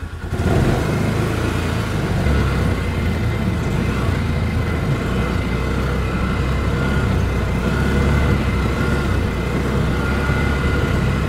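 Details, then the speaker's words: Ranger side-by-side after brakes fitted and relay connections cleaned with dielectric grease, fires right up; steady, even run with a constant low drone, no stumbling or misfires; running really smooth. "thing's actually running really really smooth sweet"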